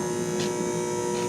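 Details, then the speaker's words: Mercury-vapor shop light installed in 1996, about to be replaced with LED: constant steady electrical buzz with a hum underneath, no flicker or crackle; light itself works fine. "That buzz is constant and can be pretty irritating. So that's why it's going to get changed."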